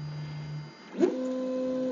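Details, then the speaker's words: Prusa Mk3S starting a print: two short bursts of steady, even axis motor tones, no grinding or skipping, extruder turning and bed moving; printer operating normally. "so this is the new home in procedure this is still three by three but it's so much faster than it used to be but this appears to be working fine I see the extruder motor is turning the bed's moving everything heats up its following its process"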